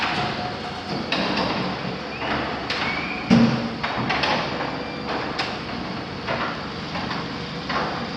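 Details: Overhead garage door, possibly not yet broken in, runs very loud: rumbling travel with irregular clunks and rattles while the opener closes and opens the door.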